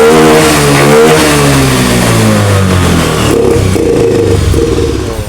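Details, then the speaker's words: Honda Beat FI scooter: revs climb then pitch sags and the engine bogs when throttled, MIL blinking code 52; crankshaft position sensor wiring fault, suspected internal break in the wire. "Pak tuh ketika ngok digas di sini lampu mil berkedip tuh di sini muncul kedipan 52 Pak ya oke jelas untuk permasalahannya"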